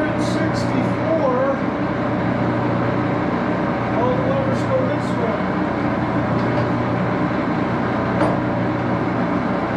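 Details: Axelson 14x30" heavy-duty gear head lathe run through its speeds, headstock filled with AW68 hydraulic oil (about SAE 20); even gear whir over steady low hum, no knocking or grinding; noisy but normal running.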